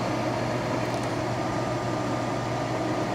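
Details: Master MH-80-OFR 80,000 BTU kerosene/diesel heater that would start then shut off: steady fan roar with even burner hum, no cut-outs, only keeps firing while photocell is fed outside light; covering it shuts off, pointing to a bad photocell.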